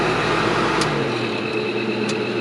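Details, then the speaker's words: Casita trailer propane furnace, removed from the trailer to reach the fan motor behind a bad squeak, now running and heating: a smooth, even fan rush with a steady airflow hum and no squeak or rattle; the blower runs normally. "we have successfully removed the furnace not caught on fire as you can hear in the background it's running"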